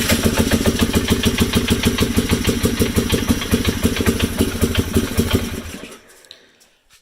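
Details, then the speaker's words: 2007 Polaris Hawkeye 300 single-cylinder at idle after CDI/no-spark work, carburetor reassembly and new spark plug: hard regular tapping about three per second fading at shutdown; owner suspects rod knock, unconfirmed, common on Polarises. "have some rod knock, which I don't like, but I know Polaris is... I've owned 3 Polarises, and I have not heard one without rod knock."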